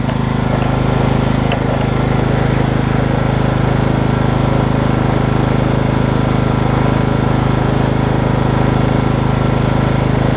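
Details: 2003 Craftsman LT2000 riding mower after new belts and freeing a frozen deck spindle, blades off: steady, even low drone from the single-cylinder engine, no knocks or misses; runs smoothly.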